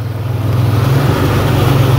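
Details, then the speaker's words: 1997 Ford Explorer 4.0L with a MAF sensor fault and codes P0172/P0175, MAF unplugged: the idle hums low and rolls gently up and down while running on default fallback fuel strategy. "you hear the idle kind of rolling up and down a little bit that's these default strategies they're not perfect but they work pretty well"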